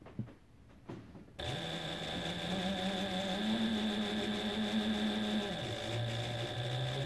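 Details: Reliable SewQuiet 6000SM servo motor on an unoiled Juki DDL-8700, heard near the motor: quiet smooth hum rising in pitch from slow to faster speed, holding, then easing back; healthy motor.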